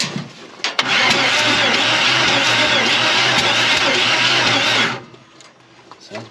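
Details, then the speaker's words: Chevy 350 in a Ford Ranchero 4x4 parked 30+ years: loud, steady hiss while cranking with no clean rhythm; compression escaping because all head bolts were found loose. "what what where is that coming all the headbolts are loose dang it clearly somebody was uh all over this engine"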